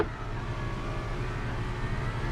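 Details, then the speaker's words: Car, power window cycled with the switches: steady even motor whir for about two seconds ending in a soft stop as the glass seats; window works normally, though owner says the back window sometimes sticks. "if i press this button the window goes down and stops if i press both of these switch both of these up and press it again the window goes up anyway you get the point"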